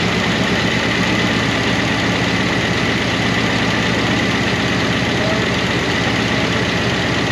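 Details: 1988 Monte Carlo SS V8 revived after sitting over 20 years, idling on a temporary fuel tank: a fast, light tapping over the exhaust note from noisy rocker arms in the valvetrain that never went fully quiet.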